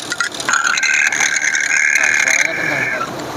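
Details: Harsh, gritty whir with a steady high-pitched whine heard by stethoscope at the fan belt auto tensioner, louder when revved; its pulley bearing is worn.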